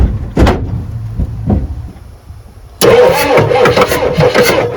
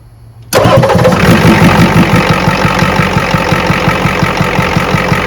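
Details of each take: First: 1986 Ford F350 with 6.9 IDI diesel, started on ether: sluggish uneven cranking, then it catches and roars rough; slow cranking, likely weak battery, fuel delivery uncertain. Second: 1986 Ford F350 6.9 IDI diesel after the load-test-failed battery was replaced: fires instantly on the key and settles into a steady, even idle clatter. Normal start.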